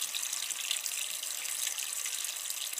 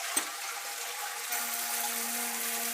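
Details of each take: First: Old toilet cistern after a new bottomless-float fill valve was fitted, which cured the noisy flush: a soft, even hiss of refilling with no whistle or hammering, quiet normal operation. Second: Old toilet cistern refilling after a flush: hissing water, then a loud steady droning hum while it fills. The noise travels through the pipes to the next room and can be heard from the street at night. Fill valve is the fault.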